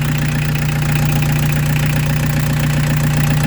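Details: Peugeot 205 TD diesel with newly fitted Motorpal 4M injection pump, after restart: steady, even idle clatter with firm low drone, no stumble or missing beat; normal idle on all cylinders.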